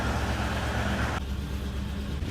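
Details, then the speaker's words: Abandoned squarebody 4x4 crew cab truck revived after years sitting, V8 idling on its own after repairs, not yet up to temperature, smoking from old oil and debris: low, lumpy, uneven idle; two cylinders have really low compression. "all right she's okay like like I said two cylinders have really low compression but she's idling on its own and the clutch works"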